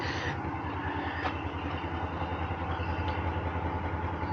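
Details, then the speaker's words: Copart vehicle with a Northstar V8 idles roughly with an uneven stumbling pulse, misfiring hard; a ticking that almost sounds like a rod knock is also suspected. "oh she's misfiring hard that's not good is there"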